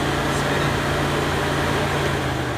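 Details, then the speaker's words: Radiator cooling fan powered by a jumper plugged into the fan relay socket: steady, even fan hum with no rubbing or bearing growl. The fan and its wiring are good. "spinning. You might not be able to see, but you can sure hear it."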